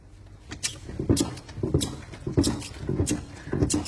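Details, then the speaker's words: Renault Duster whose owner complained of rear knocks, body rocked by hand with the boot open. Dull hollow clunks in bursts about every half second from an unsecured jack and fire extinguishers loose in the trunk. "Открыл багажник. начали качать. Стук идёт."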